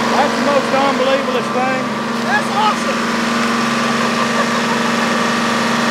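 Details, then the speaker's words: Barko knuckle-boom log loader's Detroit diesel, first start after 26 years sitting, on old fuel: settles into a steady even drone without surging, not running away; normal running diesel. "awesome it's not running away unbelievable yeah that's unbelievable"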